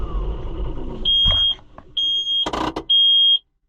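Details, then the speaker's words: New Holland (Fiat-built) TN75DA tractor, engine running: three sharp high beeps, each about half a second; parking brake warning because the brake was not set. "Did it not like that? I didn't put the parking brake on. Is that what that was?"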